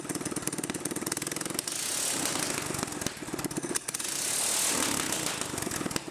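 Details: Mini-bike small single-cylinder engine on the stock carb with a custom exhaust, after the overfilled crankcase was drained and given fresh oil: barks through rapid revs and settles back, firing crisp with no knocks or rattles; normal running.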